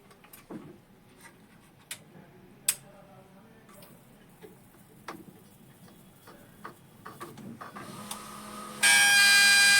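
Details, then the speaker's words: HP 1005 printer that keeps initializing and won't print: scattered light clicks, then a loud, harsh electrical buzz. The noise comes from the scanner motor, not the initializing motor, and stops when its cable is unplugged. "यह जो हमारी जो आवाज है, यह scanner की जो यह वाली मोटर लग रही है, यह इसकी आवाज है।"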